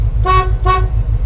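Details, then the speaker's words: Squarebody plow truck revived after sitting for years, running on a new battery and sounding healthy: two short, clear, strong horn toots over a steady low engine idle; the horn works. "The horn works."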